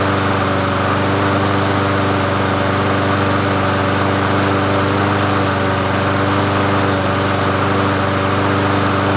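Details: Murray 22-inch push mower 22526x92a, bought used, running after priming and reconnecting the spark plug; steady, unbroken drone at constant speed with no stumbling or surging; small engine running normally.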